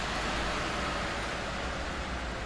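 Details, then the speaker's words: Gigabyte RTX 3070 Vision graphics card on a test bench with an 850W power supply under OCCT 3D load: steady, loud airy roar as the fan races at full speed while the screen goes blank. "While playing, the screen goes blank and the fan RPM spins really fast."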